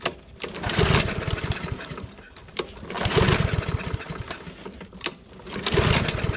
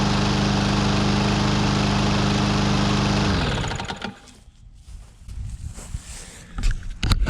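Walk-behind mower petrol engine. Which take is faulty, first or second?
first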